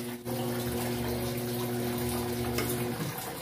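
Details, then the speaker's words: Electrolux 8.0 kg washer after overflowing-water fault fixed; water rushes in with steady valve hum, then hum drops near three seconds as fill shuts off at the set level and the machine restarts. "Ó, vai reiniciar, gente. Desligou."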